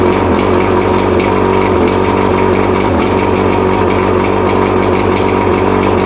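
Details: Rebuilt Mercury 115 two-stroke outboard, test run on mixed gas after a rebuild for a severely worn piston: loud, steady, even buzz with none of the former knock; normal running.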